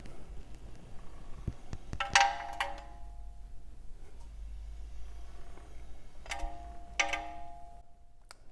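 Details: All-wheel-drive car raised off the ground, front wheel spun by hand: two bursts of sharp, ringing metal clangs from the front brake. A rock is suspected to be stuck between the rotor and the brake dust shield; not yet confirmed.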